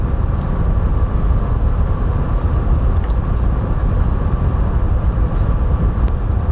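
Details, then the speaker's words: PS5 Pro, microphone about a foot from the console: steady rushing air with a faint constant whistle near 1 kHz, no cycling or ticking; audible even from the normal seat, unlike the silent base PS5. Loud cooling fan. "I can still hear it it's not Mega loud It's not that offputting it's just a bit strange when you're so used to the absolute Silence of the bass PS5"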